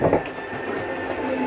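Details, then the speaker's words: 2022 Palomino Columbus C-Series 299RLC RV room slide retracting: steady, even motor drone with faint mechanical clatter, no straining or grinding; normal retraction. "there's nothing wrong with your slide mechanism that is the slide mechanism communicating I'm in as far as I can go you don't need to go in any further"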